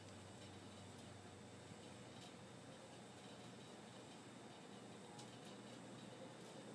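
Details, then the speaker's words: Restored Hunter Model 52 ceiling fan started on high: soft, steady low hum with a faint even whine, no ticks or rubbing; sounds good, normal running. "and start her off on high she's got a good sound I like it"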